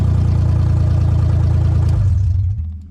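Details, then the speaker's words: Nissan 300ZX Z32 convertible project, first fire-up: even, steady low idle on all cylinders with no misses or knocks, then switched off and winds down; no leaks seen. "fires right up also it sounds like we're firing on all eight all8 who do I think I am driving a V8 sounds like we're running on all"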